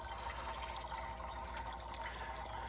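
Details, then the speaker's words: 1996 Ford F250 7.3 diesel AC service: steady soft hiss and gurgle as leftover refrigerant in the gauge hoses bleeds off into an oil filter, as expected. "thread this on there, and that will put that fluid, you can hear that, it's bleeding that Freon off into this oil filter,"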